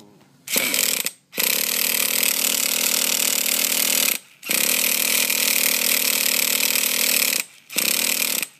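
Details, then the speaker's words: Small engine, hot after running, carburetor high-speed screw 2.5 turns out and low-speed screw flush: three long, high-pitched cranking bursts with pauses, engine never catches; hard starting when hot. "that thing's been on there a while now it should be good and hot but the starter on and push the button"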